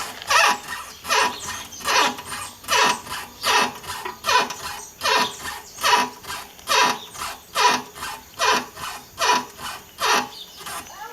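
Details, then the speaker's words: VW Fusca (Beetle) front suspension, heard through a screwdriver held to the ear as a stethoscope: an even dry squeaky creak, about 74 a minute, loudest at the upper ball joint. The joint was replaced recently and the creak began after driving through water. "vai bom me parece ser esses pivô esse pivô superior Aqui o barulho tá mais alto nessa região do que nessa nas outras regiões"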